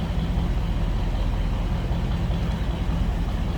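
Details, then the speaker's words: 1955 Ford Fairlane Crown Victoria with Edelbrock carb, recorded from the rear at idle: deep, steady low rumble from the tailpipe, even pulses with no popping or rasp; a mellow, healthy exhaust note, no longer loud. "like I said no more crazy exhaust just a nice little deep throat exhaustion"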